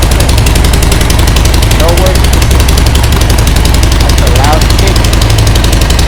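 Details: Harley Sportster 1200 just after a new ignition coil and a replaced, snapped front gas tank bolt: loud, deep, uneven V-twin beat holds steady with no misfire or spitting. Fires up and runs normally.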